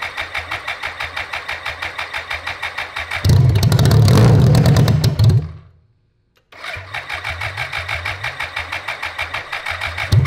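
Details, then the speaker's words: 1985 BMW K100 1000cc fuel-injected engine after 15 years stored, retried with more fuel: steady starter churning about three turns a second, catches and roars briefly, then fades and stalls; fuel pump suspected bad. "Is that the fuel pump? We've got a bad fuel pump."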